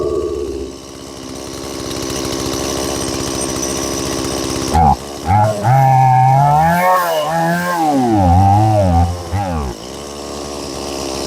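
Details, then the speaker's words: Stihl MS180C chainsaw running at held steady throttle, revs rising and falling in slow waves; engine surging from fuel starvation, traced to a fuel line needing replacement. "If it's not clear, I'm the one I'm holding the throttle steady and it's doing the up and down. Okay, so definitely probably carburetor or fuel starvation issue with this one."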